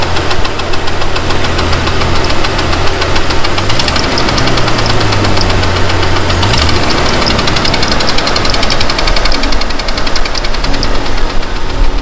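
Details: Jeep XJ engine running: a heavy, regular knock pounds under the engine rumble throughout; a deep knock coming from the bottom end.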